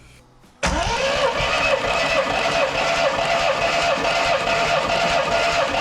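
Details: Triumph TR7 engine cranking for compression test: strong, steady even beat about two and a half per second; cylinder one read 145 psi, cylinder two 150-155 psi, both passing.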